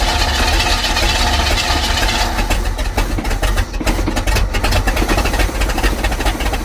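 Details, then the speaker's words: 1955 Buick Super, 455 big-block on 1973 Electra frame, after priming carb: V8 fires and runs loud, then turns uneven and ragged within seconds, not grabbing fuel; old fuel pump failing. Fuel starvation. "Still not wanting to grab fuel. Stay running, baby. Stay running."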